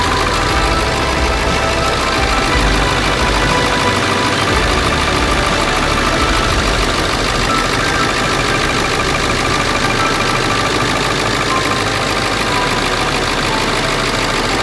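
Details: Late 1999 Ford F-350 7.3 Powerstroke diesel idling right after first start following engine wiring harness replacement; steady, even diesel clatter with no misses, knocks or hunting, "purring like a kitten": normal idle.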